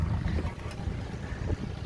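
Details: Yanmar 3GM30F sailboat inboard running with the faulty master switch bypassed: low, steady diesel chug with an even beat under wind noise; running smoothly, cooling water telltale flowing.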